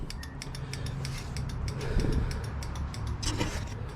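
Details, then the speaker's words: 2021 CFmoto Zforce 800 Trail with idling engine, after a factory turn signal install, key on: quick, even relay clicks of about four or five per second over a low idle rumble. The flasher relay clicks normally. "And blink fast. Just make sure everything's working. Oh yeah. Front's working. Hear the relay clicking."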